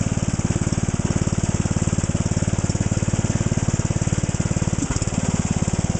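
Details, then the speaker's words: Lawn tractor cold start, fuel filter already replaced and carb cleaned: rough, lumpy small-engine chug with uneven beats, missing badly; new plug and air cleaner planned, cause not confirmed. "okay boy as you could probably hear that thing was missing horribly so we're going to have to put new plug air cleaner the works on it"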